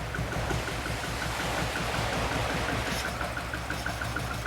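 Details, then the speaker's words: Barn-find Lotus twin cam, off the road 33+ years, just restarted: throttle released, even settled idle holds on its own with soft steady exhaust pulse and light background hiss. Normal idle. "Will it go with just letting go of it? Do you reckon it'll idle by itself? There you go. That's amazing."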